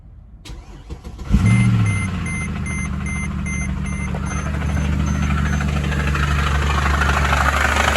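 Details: Mercedes ML63 AMG M156 V8 cranks and catches with a hard clunk, then idles rough with a dull rhythmic knock; owner feared valvetrain damage; a seized AC compressor is dragging the belt.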